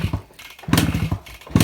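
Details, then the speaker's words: 2001 Suzuki Samurai two-stroke motorcycle, cold start after about two years unused, being kicked: short ragged popping bursts that die away without catching; no-start blamed on dirt collected in the carburettor bowl. "ചെറിയൊരു ബുദ്ധിമുട്ടൊക്കെ വണ്ടി ഉണ്ട് ഇത് പഴയകാലത്തെ രാജാവായിരുന്നു വണ്ടി"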